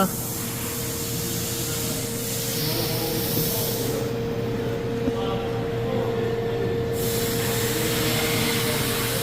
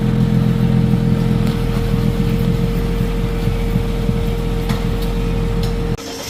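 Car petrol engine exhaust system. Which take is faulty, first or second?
second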